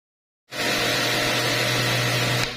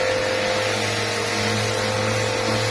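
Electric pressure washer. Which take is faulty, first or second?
first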